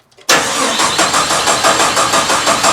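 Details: 1972 Jeep Commando with 2000 Cherokee 4.0 straight six swap, checking fuel flow at the rail during prime: starter spins with even pulses about four a second, never catches; good fuel flow, no spark because the coil pack is unplugged.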